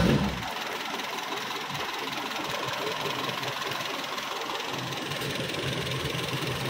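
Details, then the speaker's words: Toyota Kijang Super, first start after engine overhaul, cold: slightly uneven, lumpy idle with some tapping but no dead miss; owner attributes roughness to oil not yet fully circulated, valves to be adjusted at operating temperature; rough idle. "nah ini masih ada kasar karena oli masih belum naik semuanya sama nanti kita mesti Setel klepnya ya tunggu sampai suhu kerja mesin"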